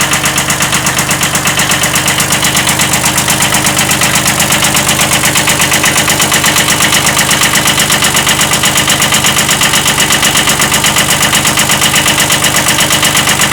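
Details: 1979 Kubota B7100 tractor with its original D750 engine, later swapped for a D950, at steady idle: an even, sharp knock rides over the diesel clatter on every revolution, a slight rod knock consistent with a worn rod bearing.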